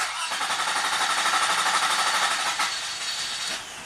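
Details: 2003 Toyota Camry V6, hot engine after about an hour's hot soak, temperature gauge at first or second mark: cranks steadily about three turns a second for about five seconds before catching; leaking fuel injector bleeding off rail pressure.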